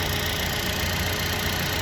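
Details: Buick Encore Ecotec idling after both coolant temperature sensors were replaced for code P00B7, false overheating readings and hard starting: steady, smooth idle hum with an even low drone, no knocking or ticking; engine healthy, no leaks.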